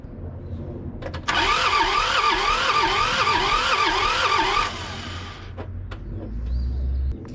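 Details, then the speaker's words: John Deere 650 with two-cylinder Yanmar diesel, sitting 15+ years: the starter spins the engine freely in a quick even rhythm for about three seconds but it never fires, with no smoke. Crank, no start. "First Step let's see if we can get it [Music] [Applause] cranking does seem like it's cranking over pretty"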